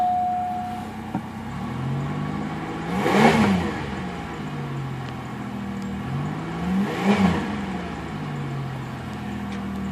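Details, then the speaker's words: 1991 Pontiac Bonneville after radiator flush: even idle with two clean revs rising and falling smoothly, no knocks or misses; running perfectly fine. "Let's fire it up if it makes any boners. Okay, here's the interior. Running perfectly fine"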